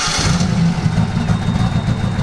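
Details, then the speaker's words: Turbo 1969 Mustang coupe at startup after tuning, fuel pressure around 50: steady, even low rumble with no stumbling or misses; sounds much nicer, idles cleanly. "even on Startup this sounds way nicer huh"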